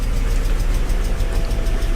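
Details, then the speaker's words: BMW E39 5 Series 3.5-litre V8 under restoration, started up: a steady, even idle with a deep rumble and no ticking or tapping. "no tapping engine there folks"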